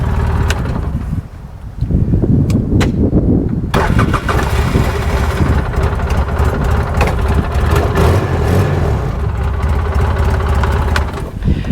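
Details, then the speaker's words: Polaris Ranger that had grown hard to start, after a battery replacement: a brief crank, then it fires straight away and runs on at an even, steady idle with no misses, a normal start; charging reads 14.3 V. "that's wonderful gosh I like easy jobs like this when they go right"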